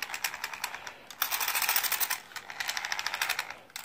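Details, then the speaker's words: RC Slash front drivetrain gives fast, uneven clicking that rises and falls with spin speed; differential gears were inspected and greased, and the owner suspects the driveshaft output cup at the front differential rubbing. "it sounds like it's coming from the front of the car here so I'm not exactly sure on you know where is it coming from or what's causing it"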